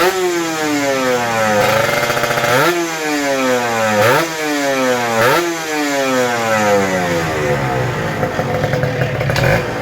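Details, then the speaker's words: Kawasaki Ninja RR 150 two-stroke after service: before, it pulled weakly, stuttered, the KIPS stuck at some rpm and fell slowly, and the throttle hung. The carb throttle slide's sides were sanded smooth. Now each blip rises quickly and falls back smoothly with no hesitation. "Oke Guys mantap jadi settingannya udah selesai dan ini yang saya rasakan perbedaannya jauh banget jadi powernya udah enak dan suaranya juga nyaman ya"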